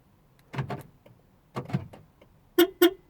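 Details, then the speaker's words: 2003 Porsche Boxster S 986, 3.2 L petrol, after passenger door lock replaced: on remote lock, two actuator clunk bursts about a second apart then two horn chirps as doors lock and immediately unlock; central locking fault. "basically what happened is the central locking the doors lock and tray way they unlock again"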